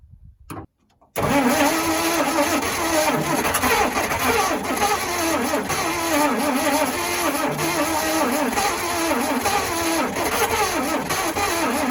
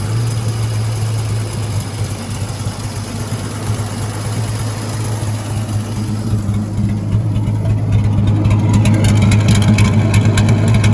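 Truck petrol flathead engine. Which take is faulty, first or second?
first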